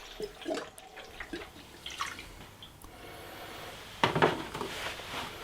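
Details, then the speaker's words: BMW MINI R50 Cooper after engine removal and refit, coolant system refilled with 5.3 litres of antifreeze through a Sealey VS0043 filler: soft gurgling, bubbling, drips and splashes as trapped air works out of the reservoir. "So like so, there's a little tap on it as well, so it's quite a, you can hear it bubbling away there. So it's just filling up on the reservoir there,"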